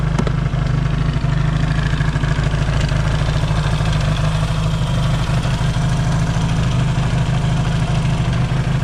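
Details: Yamaha XS650 twin, rebuilt engine just reinstalled and first started, warm with points not yet properly adjusted: deep, steady idle with an even low thump, no misses, knocks or rattles, no oil smoke seen; normal idle.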